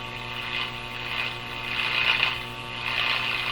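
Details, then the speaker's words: 1930s Eaton's Universal Electrohome floorstanding AM/shortwave tube radio at first power-up, no antenna: hissy crackling noise swelling and fading under a faint buzz while tuning; it is receiving interference. "oh now hear that sound okay that's a received bit of interference that sound"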